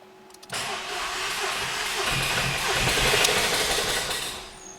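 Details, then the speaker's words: SEAT Ibiza engine, first start after a long sit: it catches after cranking and runs rough with a busy, clicky top-end tick; suspected dry valvetrain with no oil at the top of the engine, not confirmed. "It starts, but it doesn't sound very good. Let's see what the story is with that. Seemed to have started there, but it sounded very clicky. That could just be because it's been sat for a while and there's no oil on the top of the engine."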